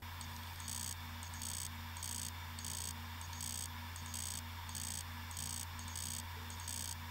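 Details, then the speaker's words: Western Digital 1TB USB drive WD10TMVW, removed from enclosure: repeating click and clunk about 1.5 times a second over low hum, not detected by computers; data recovered via unlocked PCB. "When you plug it in, it makes a horrendous clicking and clunking sound."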